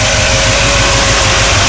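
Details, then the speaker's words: 1979 Chevrolet Camaro, newly installed engine, first start totally cold with no choke on the carburetor after a new fuel pump: starts right up and settles into a steady, even idle with a smooth low rumble, no knocks, misses or hunting; normal idle. "all right started right up"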